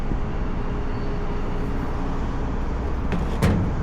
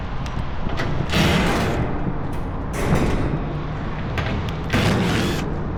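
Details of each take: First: AAON rooftop unit condenser fan after the broken rain shield (slinger) was replaced and the slow-starting unit came on: steady, even low whoosh with no rattling, one brief bump near the end; the fan runs normally. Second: AAON rooftop unit condenser fan motor, 3-phase: loose plastic clatter in uneven bursts over the fan's low roar; the brittle broken rain shield (slinger) has dropped onto the motor housing and rattles, sounding like failed bearings.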